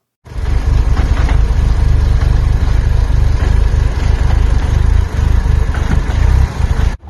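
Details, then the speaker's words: 2002 Audi TT ALMS 1.8T (AMU, 225 hp, 6-speed quattro, aftermarket intercooler and exhaust) after an engine replacement: deep, uneven idle pulsing at three to four beats a second. Goes into limp mode at 5 psi boost; vacuum leak suspected, cause unconfirmed. "as you can hear the idol is not smooth and it sounds like there's a few other things that are going to need to be addressed"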